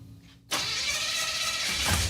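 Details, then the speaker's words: 1957 Chevy Bel Air, junkyard car, newly fitted small-block V8 and Turbo 350, started with no driveshaft: silence, then it cranks, catches sharply and settles into a loud steady lumpy idle with oil pressure; normal start. "there we [Music] go it's alive and we have oil pressure"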